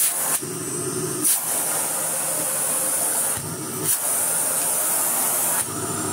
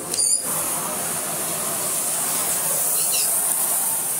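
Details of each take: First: Philips Blue Magic Silence TC739 vacuum cleaner switched on: a strong steady rush of air and a hissing hose over an even motor note, no rattles or grinding; the motor works normally. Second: Philips Blue Magic Silence TC739 vacuum cleaner switched on: loud, steady high rushing hiss of air out of the hose drowns out a faint motor hum; excessive airflow noise.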